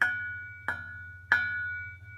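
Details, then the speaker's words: Mazda Miata with Goodwin Racing Helmholtz exhaust; three knuckle taps on the Helmholtz chamber ring like a bell, matching the metallic rasp heard under heavy acceleration from about 2200-2500 RPM; muffler and mid pipe sound solid. "That ringing sound is kind of a derivative of what I get under heavy acceleration around 2200-2500 RPM on up. It doesn't really sound like a Helmholtz chamber as much as a Helmholtz bell."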